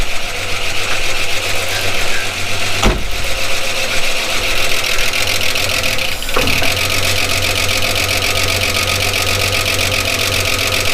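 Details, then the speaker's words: 1979 Holden HZ one-tonner ute, parked outside for years, started after resetting the points gap: the six-cylinder settles into an even, steady idle with two brief bumps, nice even compression, no misfire or knock. Normal idle. "pretty good test he works he runs doesn't sound too bad"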